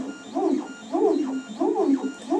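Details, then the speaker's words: Makerbot Replicator with intermittent carriage fault, printing on blue masking tape, unheated bed: loud buzzy stepper tones rising and falling with each carriage move, about once a second; old drivers without microstepping make them noisy. "blue masking tape and this noise just drive my wife crazy well you guys are wondering where all the noise is from this is before we had microstatic so"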